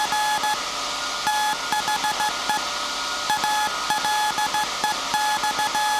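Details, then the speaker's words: SAQ Grimeton 1924 Alexanderson alternator VLF transmitter on 17.2 kHz CW, December 1st 2024 centennial transmission, punch tape transmitter soon to stop and hand over to hand keying: clean steady tone in dots and dashes with crisp starts and stops; normal Morse CW transmission. "We will soon uh stop the uh punch tape transmitter and the tire will take control of the transmission."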